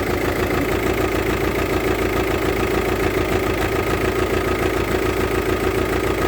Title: Engine noise with an injector failure, it's a VW Touran 2.0tdi